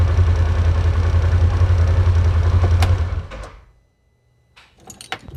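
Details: 2016 Polaris Ranger 900 XP after throttle body cleaned and rebolted; idles with low, thumping, slightly uneven beat before shutdown. Fuel 8–10 months old smelling like nail polish remover is suspected. Rough running.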